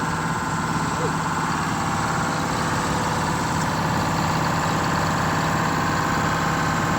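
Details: Detroit Diesel 6-71 two-stroke in a 70-year-old 4104 bus, first run after replacing the fuel pump and two sticking injectors: steady, even drone at a slightly raised idle, no misses or knocks; firing on all cylinders, normal fast idle.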